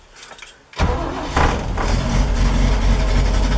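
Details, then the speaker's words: 1973 Toyota Land Cruiser FJ40 cold start with manual choke fully out after two pedal pumps: lumpy, sputtering, stumbling idle. "you can hear how it's sputtering on itself once it fires up you slowly want to push this in until it Smooths out"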